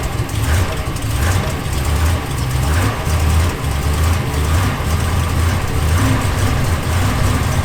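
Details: Dodge Ram 1500 cold morning start: idle surges and sags about every 1.5 s, struggling to hold; occurs only in the morning, after pedal sensor, air temp sensor, air filter and throttle body cleaning; throttle body may need programming.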